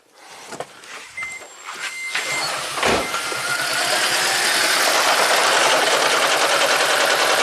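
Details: 2010 Toyota Prius after an owner DIY head gasket job, code P0304 for cylinder 4: cranks, catches and runs lumpy and jackhammer-like with one cylinder dropping out. Compression and spark are good, and the injector is suspected. Hard single-cylinder misfire.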